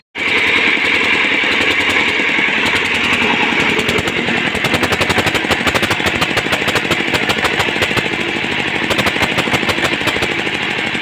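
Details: Hand-cranked single-cylinder diesel being repaired, with a new liner fitted and fuel reaching the pump: it catches and settles into a sharp, steady thump of about two or three beats a second, running normally.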